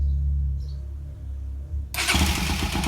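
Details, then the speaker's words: Rouser NS 200 checked for an engine noise, running after spark plugs and valve cover refitted, until fuel ran out. Engine catches near two seconds, runs evenly with no tapping or rattle: normal, no noise. "ahí se me acabó la nafta pero la moto no hace ruido está muy bien normal"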